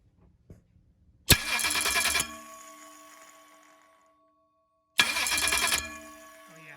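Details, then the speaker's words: Ford 351 Cleveland 409ci engine on a run stand, starter on a Dark Horse Mustangs 164-tooth bracket without bell housing; two short harsh cranking bursts with metallic gnash, starter not meshing because 7/16 bracket holes on 9/16 bolts leave slop; shim planned as fix. "So I try to find some metal here because what I'm going to do is try to build a shim for that bolt, since the holes on the bracket, these holes on the bracket are like 7/16 by 14, and what I'm trying to put the starter on is 9/16, and that little bit of slop is causing an issue."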